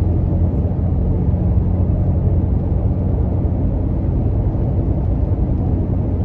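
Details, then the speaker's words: Toyota Tacoma with aggressive off-road tires at about 50 mph on coarse pavement, with some wind noise: steady deep tire roar, no rhythm or thump. Noticeable but not horrible, normal. "it's not too bad you can definitely hear it but it's not horrible"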